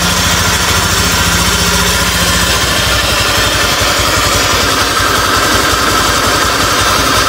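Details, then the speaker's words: 2015 Honda Beat scooter at idle: harsh gravelly grind and faint whine over firing beat from the middle of the engine, not CVT or magneto; crankshaft bearing wear, engine to be split. "Nah jadi di motor Beat ini ada suara grengseng ya atau ngiung ya teman-teman"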